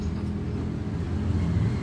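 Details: Toyota Innova while driving: a deep, steady airplane-like droning hum with a rough low rumble and grinding metal from a dry, burnt rear hub/axle bearing with play, to be replaced.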